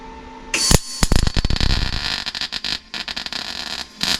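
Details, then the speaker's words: MIG welding a tacked patch on Rover P6 inner wing repair: sputtering irregular crackle and popping instead of steady hiss; spitty spattery weld, welder unsure if too much or not enough wire, later concludes not enough. "Right, it was making spitty spatties. What does spitty spatties mean?"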